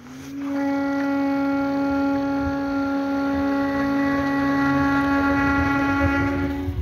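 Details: Kingsong S22 electric unicycle after all bolts were tightened: a steady, hollow whine of near-constant pitch appears when accelerating from low to medium speed and settles above 32 km/h. Cause unknown.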